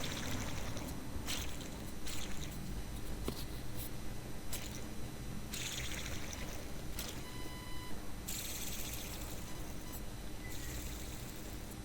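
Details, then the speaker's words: Car belt tensioner pulley spun by hand off the engine, belt removed: rough gritty rumble with scraping bursts from a worn pulley bearing, noise worse with engine revs; fix is replacing only the bearing. "escuchamos que la polea que se escucha que hace que está ruidosa digamos ese ruido con las vueltas del motor se potencia"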